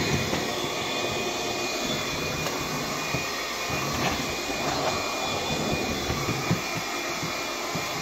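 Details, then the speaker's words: Bissell PowerGlide cordless vacuum on low power, brush roll off, hard floor test: constant thin high whistle over the airflow rush, steady in pitch; motor whining, cause unclear. "I don't know why the mother keeps making this noise that's weird"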